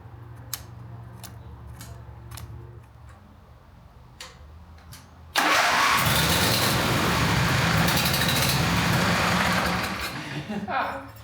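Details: John Deere Z425 zero-turn mower engine after cleaning the sticking fuel-delivery part: a few dry clicks, then it catches suddenly and holds a steady, loud run without stumbling; starts and runs fine.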